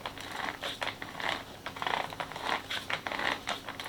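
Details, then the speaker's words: Traxxas X-Maxx with GPM pinion and crown gears, turned slowly by hand: a row of sharp clicks, about four a second, as the bevel gear bottoms on the tooth ends. Mesh too tight; the 0.1 shim will be removed. Gear mesh binding. "Là, on va dur. Et on entend les dents. Clic, clic, clic, clic, clic, clic, clic, clic. On va donc virer la 0,1. Parce que ce qui se passe, c'est que le couple conique bute sur la fin des dents."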